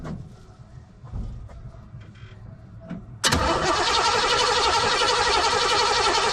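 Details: Engine started right after an in-line Carter brand fuel pump replaced a Delphi pump that had failed within 10 miles and left zero fuel pressure. Quiet clicks, then the engine catches at once and settles into an even, steady idle; normal start and idle.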